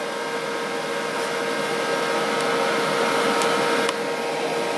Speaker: I'm heatsink for the processor sounds a bit like a vacuum cleaner when it turns on this is officially the loudest PC I own